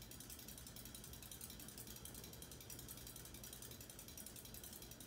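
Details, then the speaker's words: 1980s Hunter Custom Home 52" ceiling fan with walnut blades, running at about medium-high speed: light, uneven ticking at two to three clicks a second over a steady hum. Owner wishes for tape to stop the rattle, cause unknown. "I just wish I had some tape on me. I just don't have any to get rid of that sound."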